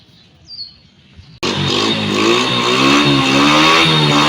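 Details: Honda Wave 100 motorcycle after correcting cam timing marks that had slipped 2–3 teeth (previously started fine but only reached 40–50 km/h): engine catches and revs up cleanly and evenly, normal running.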